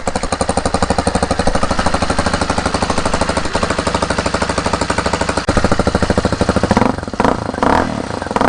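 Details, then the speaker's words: 2019 fuel-injected RPS Hawk DLX 250 with counterbalanced engine, at first start after assembly: crisp, evenly spaced single-cylinder thumps at a steady idle with no knocks or rattles. A fresh, healthy motor. "Starter and rain. Huh? That is fresh motor."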